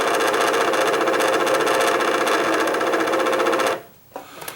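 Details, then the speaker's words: Singer Quantum XL1000 sewing machine set to bobbin winding: a harsh, steady whirring rattle from the motor with a rough ticking texture, stopping at switch-off, and the bobbin is not spinning. Motor bearing is suspected, later confirmed as shot. "i just kicked this over the bobbing set bobbin setting let's listen to it that's the noise that the motor is making and it's not it's not spinning the bobbin now"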